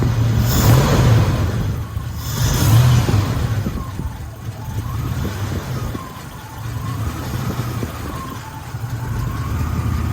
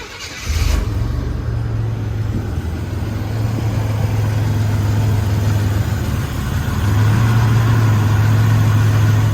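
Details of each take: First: 1984-87 Buick Turbo during TPS and IAC reset, throttle set screw lowered from 825 to about 425 rpm before raising to 550: very slow, uneven, lumpy idle sagging after blips; idle speed set too low. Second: 1984-87 Buick turbo car during a TPS and IAC reset, idle raised from about 425 to about 550 rpm; low, even, steady idle with no hunting or surging, now responding properly.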